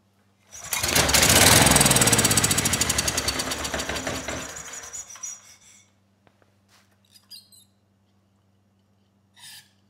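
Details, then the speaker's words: Ridgid 5700 W generator, Yamaha MZ300 engine, dump find that would not start; after spark plug regapped to 0.030 in, brief run with test light connected, light finally came on, generator viable: brisk rapid regular popping exhaust, then slows and fades. "there we go i was starting to get worried but the light finally did come on so this generator is viable"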